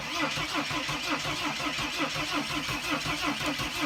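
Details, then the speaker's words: Mercedes Sprinter diesel, cranked in neutral after clearing a returning crankshaft position sensor code: even cranking about three compression beats a second, never catches; owner suspects mass air flow sensor causing no start. "it has to do with a mass air flow sensor and I haven't had this problem in the long time but usually either the vehicle will not start or it will start up and quit"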